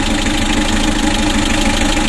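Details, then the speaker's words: Mitsubishi L300 diesel, hot, hard to start, blowing heavy blow-by: rough, loud idle with uneven shaking chug and knock underneath, rougher when revved; compression bubbling into the radiator; worn piston rings. "Coba kita gas mesinnya serasa kasar suaranya kasar teman-teman"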